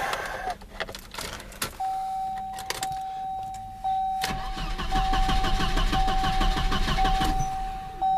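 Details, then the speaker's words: Volvo 240/740 with fuel pump fuse pulled to bleed off fuel pressure before replacing the main fuel pump: engine cranks at an even beat, about three a second, but never catches. Crank, no start; pressure seems to bleed off too fast, possibly a bad pump check valve. "Boy, that sounds familiar. Call the tow truck. Okay, we don't need to keep doing that. It's not going to run. It's bled off all its pressure."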